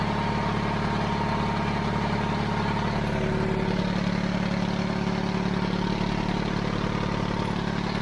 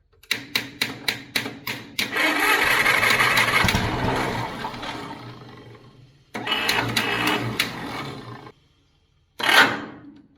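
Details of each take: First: 70-year-old 1950s barn-find D6 dozer diesel, started via pony motor after years sitting: steady, even chug at about two and a half beats a second, no knocks or miss; settled normal idle. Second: Pony motor on a 70-year-old 1950s barn-find D6 dozer cranks in several pulses, catches, runs a few seconds, then fades and dies; owner guesses a stuck carburetor float let the bowl run dry, causing fuel starvation.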